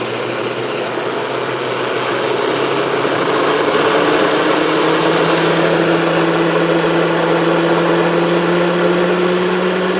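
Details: Micro hydro turbine, after resealing the base and fixing gauge drips, feeding an EcoFlow Delta Pro limited to 150 V input, with up to 570 W after nozzle tuning: a steady whir climbs in pitch, then holds an even hum with no knocks or scraping. Normal running.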